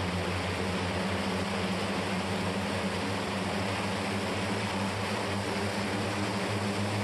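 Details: Turbocharged propeller engine run-up after warm-up, with an air compressor hooked up: steady heavy prop drone stuck around 2800 rpm, can't go higher or build boost. Leaking reduction-drive oil seals are causing the prop control problem, likely more than a simple fix.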